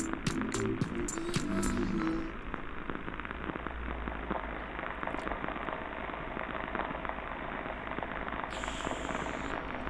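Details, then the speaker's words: Pump motor bearing heard through an ultrasonic LUBEChecker: dense irregular crackling shocks over rough hiss, a damaged bearing with many impacts. "Alors, ce qu'on entend là ici, c'est un roulement qui tourne, un roulement de pompe. C'est un roulement qui n'est pas content du tout, comme vous le voyez ici, hein. Il y a beaucoup de chocs, on l'entend à l'oreille, hein, c'est pas plaisant."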